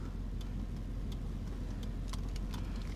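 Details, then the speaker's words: 1997 Chevy 1500 (OBS) V8 at idle, hood open: light, irregular ticking of a few ticks per second, like a blinker, over a steady low idle. Someone suggested lifter tick; cause unconfirmed. "The last video I posted, when I was inside of the truck, you could actually hear like a little ticking noise, all right?"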